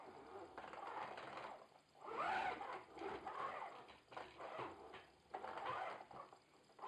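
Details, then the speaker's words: Logitech Driving Force GT wheel, game sound off, maximum force-feedback strength: irregular bursts of plastic buzzing and rattle as the motor pushes back, sounding like something loose inside flapping around; second unit with the same noise. Cause suspected, not confirmed. "Also normal hört sich das nicht an, ey. Das hört sich da an, als ob da drin alles locker ist. Und da drin wie verrückt rumflattert."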